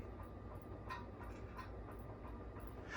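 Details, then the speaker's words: 1979 Casablanca 52-inch K63 Victorian ceiling fan at higher speed: faint, regular clunks about three times a second from a worn bushing between switch housing and shaft, plus a light rattle from the loose glass of the light kit. "in the switch housing and the shaft it makes kind of a clunking noise which i don't know if you can hear that"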